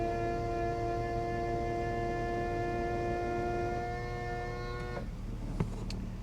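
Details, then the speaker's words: Convertible top hydraulic pump on a one-owner BMW Z4 3.0, first top operation after purchase: loud steady whine for about five seconds, then cuts off; pump straining, suspected low on fluid. "Oh, that doesn't sound good. Slow on fluid."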